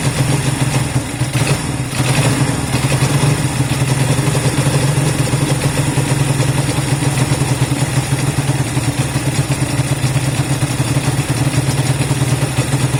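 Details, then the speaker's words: Honda CB200 idling just after first start in many months of storage: steady even low putter, no knocks or misses; normal healthy idle. "all right I want it to kind of idle for a few minutes so that's good it started up yeah really good"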